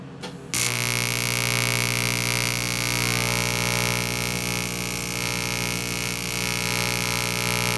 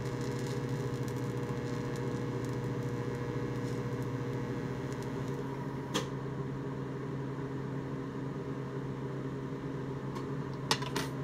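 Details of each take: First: 1990s Miller Econotig on AC high-frequency TIG, aluminum, after master switch replaced and wiring corrected: harsh buzzy hissing arc with rough steady pulse, never settles; welds steel fine on DC but won't puddle aluminum, owner suspects machine not holding high frequency. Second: 1990s Miller Econotig in DC-negative TIG mode welding steel: steady, smooth, even hum with a faint low buzz, no crackle or sputter; the machine works normally on DC, while AC aluminum welding is the problem.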